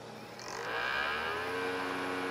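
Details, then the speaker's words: SE152L CD drive reading a CD: whirring tone climbs in pitch as the disc spins up, then holds loud and steady while reading; the drive is noisy but works. "noisy, but it certainly works."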